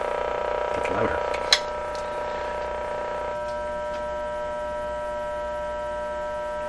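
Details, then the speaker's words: Canadian Westinghouse 981 shortwave radio during testing, partway through replacing the remaining paper and wax capacitors: constant low buzzing hum that stays the same through handling clicks; source unknown, suspected external, chassis ground being tried; mains hum. "something making that sound well we don't know what something external i'm gonna guess"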